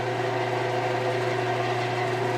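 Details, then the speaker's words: 1948 Delta Milwaukee 14-inch bandsaw after adjustment: the blade no longer vibrates. Even low hum, quieter overall, with a new faint high harmonic that is more audible while winding down, and no knock. Runs normally. "And you can also hear that it's quieter. There's just an extra high harmonic in there. You can sort of hear it more as it's winding down."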